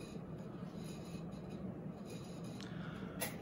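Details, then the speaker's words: SMC A52 52-inch ceiling fan with a brown ball motor, on high speed: steady low hum under a rough, gritty rumble that never settles, from badly worn motor bearings; low speed unusually slow, possibly a drifting capacitor. "so here's high and the the bearings on this fan are just absolutely terrible as you can hear but that's uh pretty typical of smc fans"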